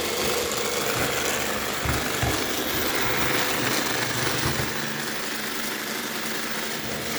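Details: iRobot robot vacuum: constant harsh hiss and gritty grind from a small motor throughout, cause unknown; grinding noise.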